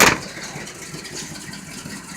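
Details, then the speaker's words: 1984 Chevrolet pickup, carbureted, just after a cold start on a cool rainy day: quick, light, even exhaust chatter with no knocking or stumbling; started pretty easily, healthy cold idle. "used to fuel injection and stuff and they start immediately they don't die but when you've got a carburetor why you gotta kind of be a little bit more persistent and patient with it"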